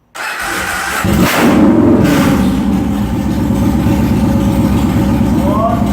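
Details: Yamaha Warrior 1700 V-twin first start after engine rebuild (earlier had no compression): starter turns briefly, engine catches and settles into a steady lumpy idle at about three beats a second, running normally.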